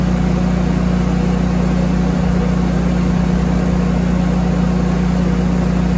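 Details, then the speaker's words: Generator running a house as a Temp Star 2.5-ton heat pump compressor starts drawing about 68–69 amps, before a Hyper Engineering soft start is fitted: steady low drone with an uneven, dipping beat as it labours and misses, then spins back up. "this was kicking on at about 68 or 69 amps which knocked the generator down a little bit enough to make the lights flick and you can hear the you know like it misses and you can hear it spin back up"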